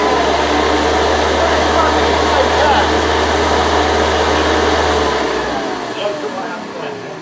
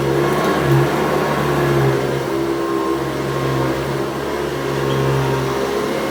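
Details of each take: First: Restored 110 V USA Hoover Convertible U4173 running lifted off the floor: steady motor hum with fast regular flapping rub about four times a second as the loose belt slaps; goes away on the floor. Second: Restored 110 V USA Hoover Convertible U4173 running on deep carpet: steady even motor hum with beater bar thrumming, no rattles or scraping, running healthy.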